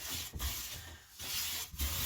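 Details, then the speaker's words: Clifton 5½ hand plane after its tracking fix, planing walnut: long, even hissing strokes with clean pauses between passes and no chatter, leaving no plane tracks. Smooth cutting. "we're pretty much there let's see no playing tracks at all let's go the whole thing very light shaving"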